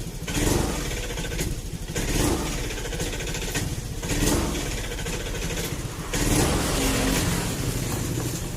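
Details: Honda Beat/Scoopy fuel-injected scooter that stumbles on initial throttle; idles, then bogs in uneven surges each time the throttle cracks open. Hesitation on throttle (TPS misadjusted).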